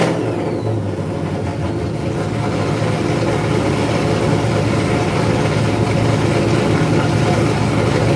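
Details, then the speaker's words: Supercharged engine, cold and not revved: loud idle with faint steady blower whine, breaking up a little now and then. "I don't know if you guys can hear the blower whine through the camera. Finley, you're still with me. You didn't go in. Oh, he was with me. I didn't rev on it because she was cold. Yeah, I could hear it. It was kind of breaking up a little bit."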